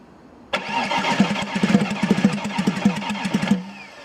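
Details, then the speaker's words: Audi A6 C5 2.5 TDI V6 (AKE) diesel, bought with faulty injection pump, two pumps replaced; engine fires and runs roughly with uneven knocking for about three seconds then stalls, as if immobilizer cut, no immobilizer error; pump timing later found 10 teeth off. "but the problem is that the car starts and then stalls, as if the immobilizer turns off the engine, but there is no error on the immobilizer"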